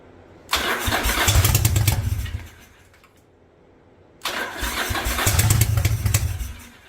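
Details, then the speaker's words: 1985 Yamaha Virago twin barn find, single-carb conversion on a DIY manifold, first start on choke: two short bursts of rough, uneven chuffing that die away; seems to fire on one cylinder, smoke from front pipe. "it's firing but it looks like it's only firing on one cylinder I got smoke coming out of uh the front pipe"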